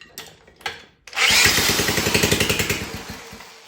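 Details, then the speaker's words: 1960 Wheel Horse 400 Suburban, four-horsepower single, bought with no spark: after cranking clicks it fires into loud rapid popping, about ten bangs a second, then fades; started, possibly thanks to removing a washer from the condenser. "There you have it. There you go. Just needed that. I bet it just needed that washer taken off of that condenser to get it to have fire spark."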